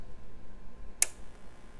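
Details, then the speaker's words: APC Back-UPS 425 (BE425M) reassembled after teardown, powered on while on mains AC: a single sharp relay click against a quiet hum; relay engaging normally at power-on. "so we're gonna power it on while it's still powered onto mains ac i gotta hold it down a little nervous one relay comes on"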